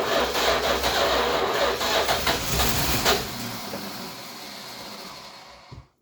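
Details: 1966 Chrysler New Yorker parked 18 years, fuel drip-fed into carb: cranks and catches with ragged, uneven firing about three beats a second, sounds like a bus, then dies; not getting enough fuel, carb needs rebuilding.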